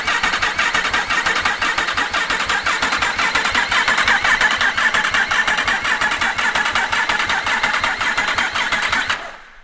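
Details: Yamaha R1 race bike after rebuild, oil just topped up to about halfway on sight glass: even rhythmic starter churn with no firing, then stops; healthy engine cranking without fuel.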